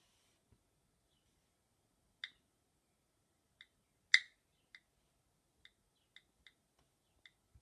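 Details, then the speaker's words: iPhone 5S on iOS 7.1: light keyboard ticks while typing, with roughly every 10th to 14th click randomly much louder; suspected software bug, temporarily fixed by deleting the com.apple.celestial.plist preference file. "it happens that everyone off 10 or 14 keyboard clicks turns randomly ladder and that can be very disturbing when I'm writing a text"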